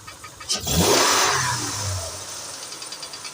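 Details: 2008 Acura MDX engine, sharp throttle blip and release: light ticking under the revs as it settles; owner asks what causes the knock, source undetermined.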